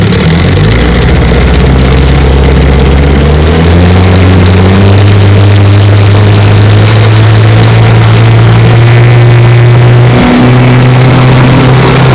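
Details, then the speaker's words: 1972 Johnson 9.5 hp outboard, fully mechanically restored (carburetor, tune-up, magneto ignition, lower unit seals), on a water test run: a smooth two-stroke buzz climbs cleanly with throttle without misfires. Normal running. "she's a 1972 9.5 horsepower johnson it's a light restore fully mechanically restored carburetor tune-up kit ignition magneto lower unit seals everything redone and she runs great"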